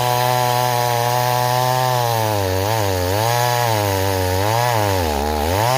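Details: Stihl 026 two-stroke chainsaw returned as a no-start, cutting in chilly weather: buzz sags in pitch whenever the chain bites and bogs under load; carburettor too rich, rakers possibly filed too low.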